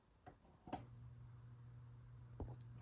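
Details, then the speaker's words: 1983 Crown 12-inch oscillating fan on its first test run; switched on, it hums steadily without spinning up. Bearings turn freely, so the capacitor circuit is suspected of not reaching the motor, possibly an open circuit. "just sits there and hums and it's not the bearing problem because if I pick up the fan you can see the bearings are free"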